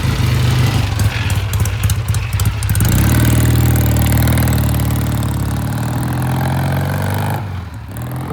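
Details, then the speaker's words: 1967 Triumph vintage British twin motorcycle after the pilot jet was cleaned: steady, deep idle with an even, settled beat and no stumbling. "a difference a clean pilot jet makes. Listen to that thing. Isn't that gorgeous?"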